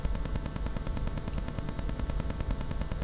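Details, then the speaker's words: Rode VideoMic GO near a wireless router or phone: a rapid, regular ticking buzz several times a second picked up by the mic, blamed on the mic board having no shielding against Wi-Fi signals. RF interference buzz. "ก็คือว่าเวลาที่เข้าไปใกล้พวกอุปกรณ์ที่มีไวเลสนะอย่างพวกเราเตอร์ไวเลสหรือว่าพวกมือถืออะไรพวกนี้นะครับมันจะเกิดเสียงรบกวนนะครับเป็นเสียงดังตึกตึกตึกตึกตึกตึกตึกตึกตึกตึกตึกตึกตึกอย่างเงี้ยนะครับเข้ามาในตัวไมค์ของเรานะครับ"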